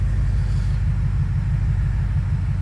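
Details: 2004 BMW 645Ci: low, steady rumble at about 700 rpm with an even beat and no misses or knocks; normal idle.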